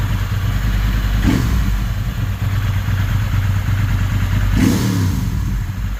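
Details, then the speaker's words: Ducati 916 V-twin after fuel pump quick-connector O-ring repair and pilot screw adjustment: deep lumpy idle with two sharp throttle blips, revs return cleanly without dipping; idle no longer dropping, balance still to verify with vacuum gauge. "respons better not dropping idle as much so I reckon that really just need a no two reader to test that"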